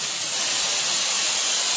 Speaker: I purposely left this open right here, so you can see how the air comes out.